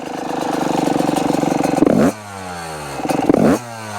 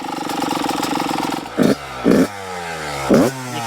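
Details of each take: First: Yamaha YZ125 two-stroke, previously running rich, after jetting changes and air screw adjustment: idles with rapid buzzy rattle, snaps up cleanly on two quick blips and drops back, normal response. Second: Yamaha YZ125 two-stroke idling with an uneven burbling beat and three throttle blips; running rich because the carburetor keeps pouring out fuel, a suspected float problem, despite jetting changes; revs out clean held open.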